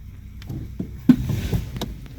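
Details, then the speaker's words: 2014 Toyota Sienna: single dull front clunk, sometimes heard front right, when pulling away gently from a stop or shifting park/drive/reverse, caused by a loose top engine torque mount; tightening it cured the noise. "there is a clunk. I just switched to the reverse. I could hear the clunks."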